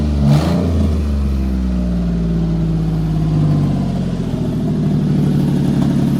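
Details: 2003 Ford F-150 single cab with swapped-in good-running 4.2 V6 (replacing a rod-knocking engine), first cold start after the swap with new intake and throttle-body seals: cranks briefly, catches at once, settles to a steady even idle with a slight rev, no knocks or ticks; healthy start.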